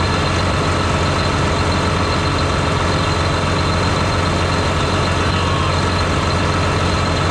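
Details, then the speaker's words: John Deere 8345R tractor diesel running after fan clutch repair while parts are reassembled; steady, even rumble at constant speed with no knocking. A suspected fan problem had sounded like a rod knock at idle. Normal diesel engine run. "all right now I might go go ahead and fire it up and let it run for a while make sure everything's going to be okay while I put all this [ __ ] back on here so long"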